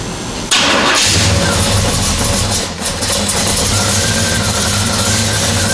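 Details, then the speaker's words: Square-body Chevy C10 with fresh Blueprint Engines 350 V8 and new 700R4 transmission, first start: cranks and settles to steady idle with a light scraping rub underneath; owner first suspected plastic dust shield, found flywheel counterweight rubbing the dust shield. "nothing doesn't sound right something down right down there I'm gonna bet it's the plastic dust shield so I'm gonna pull that off real quick because I don't like listening to noises it shouldn't"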